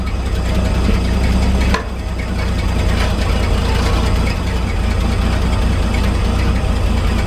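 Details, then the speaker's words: 1961 GMC 5000 with 351 V6 just converted to a Holley carburetor, not yet tuned: steady low rumble with an even beat, idling smooth with no misses or stumbles. "Hear the difference? Smooth right out."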